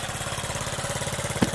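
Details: Honda Z50 just after first cold start without choke, chain off, new spark plug, carburetor fixed: quick, even putter about twelve beats a second with steady rhythm and no misses; normal clean idle.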